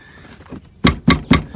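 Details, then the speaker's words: Door on a Cherokee (brace from a different model year) being pushed; the inner B brace has broken off and knocks loose inside the door, three sharp hollow clunks. Owner plans to weld it back or add more deadener. "so it's just the B brace broke off in there it's probably making tons of noise"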